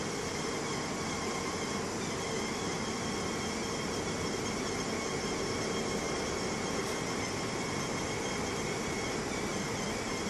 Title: BMW 640i Problem (squeaking noise from the engine)